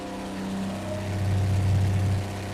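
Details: Slant Six in a Plymouth Duster, first fire-up after install and ignition checks: smooth, low idle that swells briefly with a blip and settles evenly, quiet valvetrain; normal idle.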